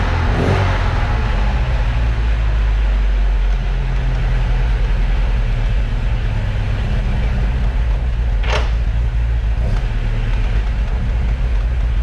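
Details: 1978 Alfa Romeo GTV 2000 (2-liter carbureted twin-cam) idling in a garage before the door is opened: a steady low rumble with no knocks, misses or hunting, just faint clicks; a smooth, normal idle.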